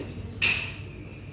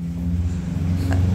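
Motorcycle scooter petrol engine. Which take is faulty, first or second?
second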